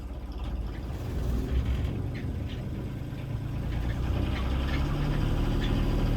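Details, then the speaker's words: 1977 Folkes 39 steel sailboat, 3QM30 30 HP freshwater-cooled diesel, about 541 hours since 2005 rebuild, dead cold start: fired first crank into a steady low chug, even idle with no knocks or misses; healthy idle. "Beautiful. Gotta like that. Fired right up right instantly."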